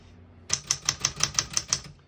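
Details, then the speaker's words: A 1960s Smith-Corona Riviera portable manual typewriter with Elite typeface gives eight crisp, evenly spaced key strikes about five per second, a unique, really high-pitched sound. No keys skip or stick, so the typing is normal. "Type's nice, it's got a really kind of unique sound to it, really high pitched."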